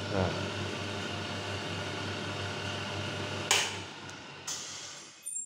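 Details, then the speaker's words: Brother 814 (made in Japan) buttonhole sewing machine with the stop timing out of adjustment: a steady low motor hum cuts off with a sharp, hard clack as the knife drops; the stopper does not sit where it should, so the stop timing is incorrect. "stop ternyata enggak pas dari sinar saya akan Tunjukin cara mengatasinya gimana udah gitu Kalau stopper nya harusnya kan seperti ini ya terus kan dia tuh naik ke sini lagi kan sedikit"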